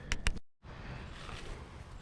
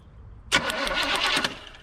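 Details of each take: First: 1972 Chevy C10 crate 350 V8 first start after sitting 8+ years: low, even idle rumble with no knocking, ticking or lifter noise; sounds healthy with a mild cam, plug wires arcing off the HEI. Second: 1972 Chevy C10 crate 350 that has sat 8+ years, cranking after petrol was added: about a second of cranking at roughly seven beats a second with sharp crackling snaps on top as spark arcs off the plug wires.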